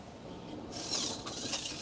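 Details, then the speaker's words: Mac (A-Team Mac) HD floppy drive at the end of a failed format: quiet head clicking and scraping, then a brighter whirring burst, and initialization failed. Eject works strongly. The cable is being ruled out next. "initialization failed."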